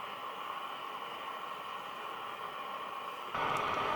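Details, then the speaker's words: National Panasonic RQ-434DS boombox radio section, where tuning the dial makes no difference: steady hiss, with the station only vaguely heard as the probe is moved. A faulty transistor is suspected, possibly the mixer transistor. "so my next step i can vaguely hear the station"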